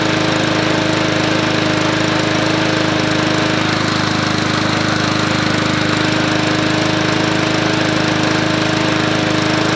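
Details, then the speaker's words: MTD Yard Machines 20-inch P510 push mower with Powermore engine running with a regular hard knock in time with the engine, smoking badly. It doesn't seem to be the blade; no noise is heard when turned over by hand. Cause unknown. "there it sounds like it's not the blade no sounds like something hitting yeah but I don't it's smoking real bad too"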